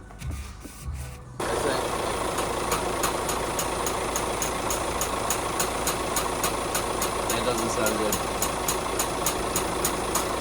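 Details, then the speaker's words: VW Crafter diesel started right after an oil and filter change, priming the oil filter: fires and idles with quick even light tapping about three per second over the clatter; cause unconfirmed. "you hear that mysterious tapping noise a just cranking while that uh oil whatever Prime the uh oil filter"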